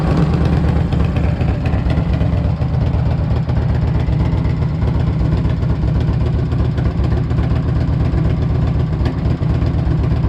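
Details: 1998 Harley-Davidson Electra Glide Classic, almost 100,000 miles, very hot engine, idling right after an oil change with 20W-50 Valvoline VR1 to fill the filter; deep, steady V-twin lope, no knocks or ticks. Normal healthy idle, still purrs.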